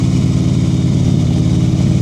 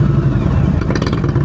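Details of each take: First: Motorcycle on a slow-speed riding practice course, throttle preloaded so the engine holds a steady, even note slightly above idle with no dips or stumbles while the rider works the clutch; normal running at raised RPM. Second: Motorcycle twin idling at a stop during slow-speed riding practice; slow, lumpy, uneven thumping with loose clatter; rpm this low means lugging if heard while moving.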